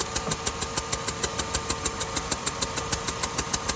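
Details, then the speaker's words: 2007 Buick Rendezvous with GM 3.5 engine idling with a sharp hissy tick about three times a second like compression escaping; blown head gasket, no overheating symptoms. "but you hear the hissing it's more of like a compression seeping out or a blown out spark plug"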